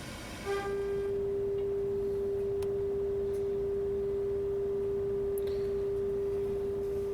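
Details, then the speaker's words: Pioneer SX-1050 receiver, first power-up before restoration, FM tuner near 100 MHz fed by a loop antenna at -20 dBm, center-tuned though dial reads slightly off: pure steady test tone over faint hiss; clean reception, tuner working. "well that's pretty good we're uh I'm at -20 DB right now dbm and you can see I'm getting a nice little signal it's Center tuning"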